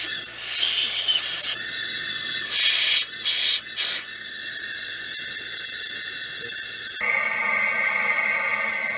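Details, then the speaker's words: Chevy Monte Carlo engine, leak-down test on cylinder 7 at top dead center with the engine not running: steady high hiss of compressed air escaping from the exhaust past an open exhaust valve. "and that's what it sounds like I'm opening up the throttle blades you can hear it coming out of the carb now so that's how you can tell where your leaks coming from whether you got bad valves or whether you got bad rings or whether you got a crack block"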